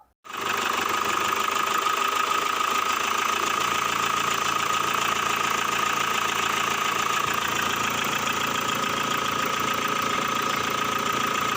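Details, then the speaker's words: Car engine idling unevenly with a rough, busy clatter and faint light knocks under a steady high tone; engine sound turning rough with small knocks, a sign something is wrong. "Contoh ya, suaranya menjadi kasar. Ada bunyi ketukan kecil seperti itu."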